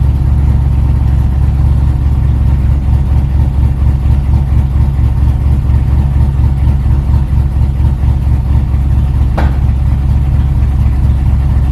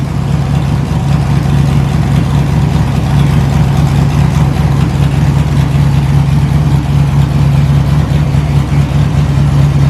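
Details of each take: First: LS-swapped Chevy S10 drag truck at idle, warming up: low, steady idle with a faint regular puffing tick; a header exhaust leak is thought to be confusing that bank's O2 reading. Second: LS-swapped S10 drag truck, stock 5.3 V8 with a cam and a small radiator. Deep, loud, lumpy V8 rumble with a steady choppy lope, strong and even. Owner wants to pull a header to check a possible small gap. Normal cammed idle.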